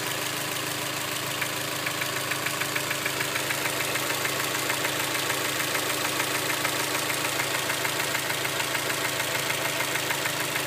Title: Knocking sound from motor